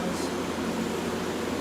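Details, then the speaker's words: 1986 Friedrich Quietmaster 19,000 BTU refurbished window AC with an 18k rotary compressor, on medium cool, heard outside at start-up. Steady airy rush with a soft low hum; normal start-up, head pressure not yet built. "let's go outside it sounds like it doesn't it hasn't even built head pressure yet"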